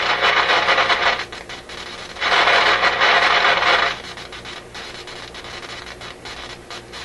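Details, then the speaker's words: RCA Victor A24 vacuum tube radio during shortwave alignment: a harsh hissing crackle surges, fades and returns. Turning the volume down cannot reduce it to zero but does change its character. This intermittent noise is suspected to come from a switch contact, a tube or a capacitor; cause not found. "It's interesting, I can't reduce that sound to 0 by turning the volume down, yet it changes its character."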